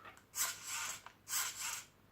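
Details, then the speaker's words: A959B RC car fitted with a cheap all-metal-gear servo in place of the plastic-gear original. Two short, high whirring sweeps, smooth and free of clicks or skipping, show the servo turning cleanly. "you can hear that that's all metal gear servo. Just a cheap one, but all metal gears. All inside the little cogs are all metal."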